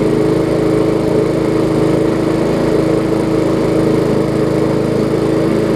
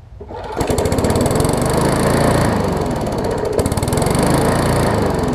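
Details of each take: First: Briggs & Stratton Classic push mower engine started after a little carb cleaner: smooth, steady single-cylinder buzz with no surging or misses, running great; slight vibration. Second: Briggs & Stratton Classic bagger push mower before service: single-cylinder engine chugs unevenly, stumbling and surging instead of holding steady; owner calls it a classic carburetor diaphragm issue and plans to replace the diaphragm.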